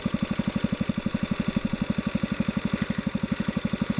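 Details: Kohler K181 engine after setting main fuel mixture screw at midpoint between slowdowns: even regular exhaust thumps, steady beat, no misses or hunting; carburetor mixture set correctly, runs smoothly.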